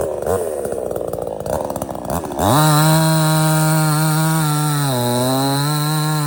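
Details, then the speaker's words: Budget Temu chainsaw cutting a partially rotted but substantial stump: screams to full speed, holds a steady high pitch dipping slightly as the chain bites; cuts through easily, starts easy and runs strong, normal. "as you can see, this is partially rotted, but it's still pretty uh substantial, and it didn't even hardly phase this thing."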